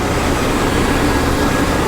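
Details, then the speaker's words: 1985 GMC Sierra V8 after Edelbrock intake manifold and carburetor upgrade with emissions equipment removed: fires right up with barely a crank and idles steady, smooth and quiet with no knocks, misses or ticking; running like a top. "look at I mean barely crank the key and it fires right up we still got to replace the sending unit probably do that another video I think this one's uh this is about done because I'm worn out but look at her she's running like a top"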